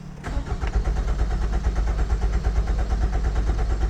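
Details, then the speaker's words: 2005 Nissan Altima 2.5L, IDPM and PCM already replaced: steady even cranking around two pulses per second that never catches; engine speed signal present, immobilizer suspected, spark unchecked; crank no start. "so it just cranks but there's nothing I don't know if we're missing spark"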